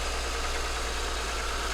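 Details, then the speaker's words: 2010 Toyota Highlander that sat and wouldn't start, running on a replacement battery: steady smooth idle, even low hum, no knocks, misses or squeals; alternator charging at 14.41 V, code P2118 throttle actuator stored. "it runs with the battery just fine"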